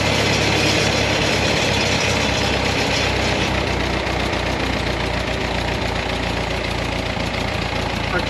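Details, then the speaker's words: Leroi 4-cylinder gas engine on Bantam T35 crane atop 1945 GMC 6x6, first run after sitting 8+ years, electric fuel pump off, running out carburetor fuel: steady loud even idle, no misses or knocks, fourth cylinder now firing. "I'll say got a lot of work done with the fourth cylinder sounds good yes it does it really does"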